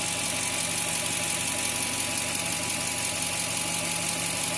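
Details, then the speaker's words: 2000 Toyota Tundra 4.7 L V8 after P0171 lean code was cleared and stayed cleared: steady, even idle hum with a faint light tick and no vacuum-leak hiss; fuel trims normal; normal idle. "طبيعية جدا. حتى صوت تسريب الحين ما في صوت تسريب، طبعا هذه سبب المشكلة كلها. ما في أي عطل."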